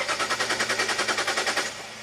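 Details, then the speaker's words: 2005 Jaguar S-Type V6 that sat three years: the starter churns with even compression pulses, about nine a second, and never fires. The fuel pump draws only 1.6 amps instead of about 10, so there is no fuel pressure. "1.6 amp huh I don't really like that should be like 10 amps"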